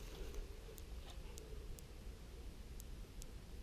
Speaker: That's where it's crossing over, but it's not quite making the connection, and so the power's jumping through.